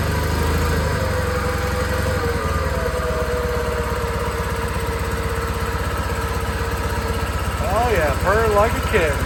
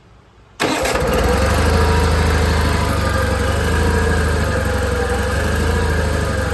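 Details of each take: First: John Deere 318 garden tractor engine after carburetor cleaning to fix surging, no choke: steady even putter at idle, no hunting or surging, picking up cleanly as throttle opens; runs healthy now. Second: Old John Deere 318 garden tractor at startup: idle slowly rises and falls every second or two, needs partial choke; fueling issue, surging from a clogged carburetor idle jet.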